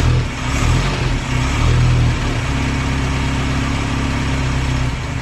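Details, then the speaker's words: 1930s Morris 8 Series 1 four-cylinder, first start in about five days, now running on fuel from the tank via SU electric pump instead of a temporary funnel feed; even tickover picking up to a faster steady idle, no misses or surging. "so that's now running from fuel in the tank which is quite encouraging to speed it up a little bit that's pretty encouraging huh"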